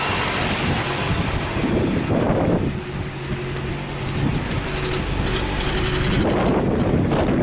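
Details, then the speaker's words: 2007 Nissan Sylphy (KG11, MR20 engine) at idle with code P0304, losing power especially with AC on and no check engine light: a rough, stumbling idle from a cylinder misfire, partly buried under wind. "Alright, so you hear the engine is sounding a little rough."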